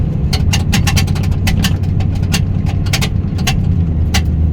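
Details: 2001 Ford F250 while driving: sharp irregular creaks and squeaks over steady road drone from the rear door, caused by rusted door skins working apart.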